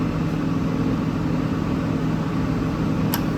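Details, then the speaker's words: Nieco gas burner that wouldn't light: blower hum, then a sharp click as the gas solenoid valve opens once a new ignition module is fitted; the old ignition module was bad and wasn't energizing the solenoid. "Click. Oh, looky there. Bad ignition module. Bad ignition module."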